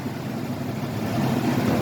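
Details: 1982 Pontiac Grand Prix, original 3.8 V6, idling after oil pan gasket and tail shaft seal replacement: low steady idle with even murmur, no knocks, ticks or misses; smooth and healthy.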